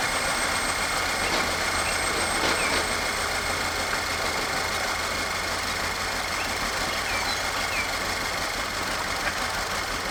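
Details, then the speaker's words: Audi engine just reassembled after no-compression condition, retimed with new camshaft: rough stumbling idle, about three beats a second over harsh clatter; scanner reports cylinder 4 misfire, ring damage on #4, needs full teardown. "well this beautiful beast does run but as you can tell by the crashing going on under the hood there it's got a misfire"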